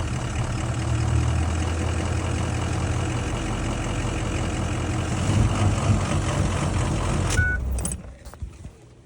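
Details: 6.0 diesel after two oil changes with RevX: idle with a lumpy, uneven beat of about four pulses a second until shutdown. The rough idle is improved but still present; cause not identified.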